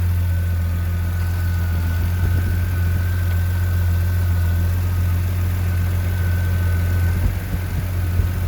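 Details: Jeep Comanche 4.7L stroker six: low, uneven loping idle with no clean rhythm, rough idle, cause not evident.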